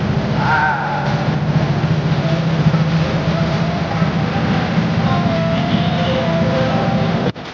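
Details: Honda ADV 160 scooter that would not start, now running after the fault was solved: steady low engine hum, even throughout with no misses or knocks, then cuts off; normal running.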